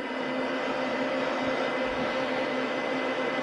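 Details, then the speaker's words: Ryzen R7 1700 overclocked to 3.9 GHz with a Deepcool Gammaxx 400 dual-fan CPU cooler and Cooler Master JetFlo case fans at 100% speed: steady even airy hiss with faint hum, no ticking or rattle, not intrusive. Normal fan noise. "there's not much noise coming from them and by as you can hear it's it's not too bad actually"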